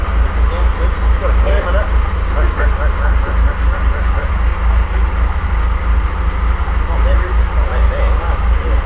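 Low, soft, even six-cylinder beat at a steady idle with no knocks or misses; old sleeve-valve engine running sweet.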